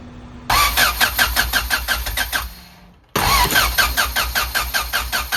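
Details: Honda Civic with new coolant temp sensor, ignition module and rotor, crank no start: two sluggish cranking bursts, about five compression pulses a second, never catching; fixed with a fully charged battery, likely too few cranking amps.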